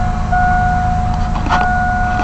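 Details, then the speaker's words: 1999 Chevy S10 just after cleaning mass air flow sensor and throttle body: steady even low rumble with a faint whistle, no misses or surging, running much smoother and settling toward about 900 rpm; normal idle. "it's running good. I'll let her run just a second and pick up her idle."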